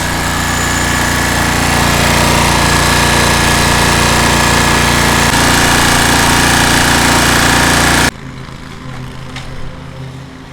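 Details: Cub Cadet 1641 lawn tractor running after carburetor cleaning and fuel change, earlier lean backfire and suspected fuel pump diaphragm: steady, even single-cylinder beat at constant speed with no misses or hunting, likened to a 350 Chevy note, then clean shutoff; healthy running.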